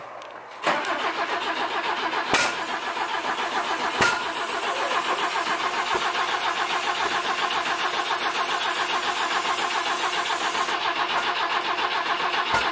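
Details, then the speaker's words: BMW E21 being revived, two plug leads swapped, recorded close at the exhaust with brown muck blowing out: starter churns steadily for about ten seconds, sounds like it wants to fire but never catches; crank no start. "so we handle this nasty brown stuff firing out of the exhaust while we were trying to crank it I don't know what effect that has on the car actually firing up"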